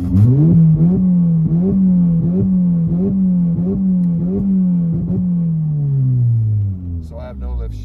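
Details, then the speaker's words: MK7 GTI with a new XClutch Stage 2 clutch, still breaking in, revved with the clutch fully in and full throttle: revs held hard against a cut that stutters about 1.5 times a second, the no-lift-shift limiter working as designed. "and that's a safety feature that no lift shift is if you use it so that you're not over revving"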